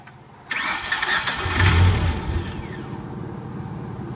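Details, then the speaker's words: Tennant 355 ride-on floor sweeper with no usable throttle: the starter cranks, then the engine catches and surges unevenly without settling, with the fuel pump heard running. Fuel starvation; bad gas or dirt in the carburetor suspected. "I wonder if that gas is just that bad, dude. Is the fuel pump still running? I can hear it, yeah. Yeah, we got shit in the carburetor is what it is."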